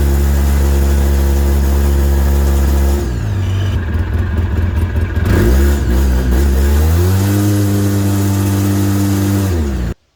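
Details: 2008 Polaris RZR 800: engine note sags and stumbles when throttle is applied, bogging from a dead stop and stalling on first throttle; fixed by replacing the complete fuel pump assembly with regulator, filters and fuel level sensor.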